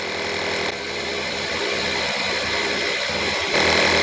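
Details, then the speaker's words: Stanley FatMax portable compressor inflating a flat tire set to 12 PSI: steady, even buzzing drone with no stumbles or rattles; cuts off automatically at 11.9 PSI, working well. "okay it's uh it cut off at 11.9 and the tire is uh totally aired up so the compressor works pretty good"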